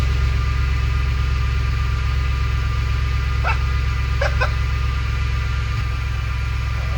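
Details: Audi S6 project, first start after engine reassembly and vacuum lines finished: steady even low idle, smooth rumble, no knocks or misses; engine healthy, some whine from serpentine belt.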